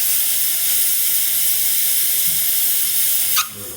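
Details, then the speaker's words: Lelit espresso machine after replacing a dead pump that gave zero pressure: strong, steady, high-pitched steam wand hiss, gauge falling from about 1.8 to 1 bar. Normal steam output. "We'll stop there, and now we'll test some of the other features like the steam. Powerful steam."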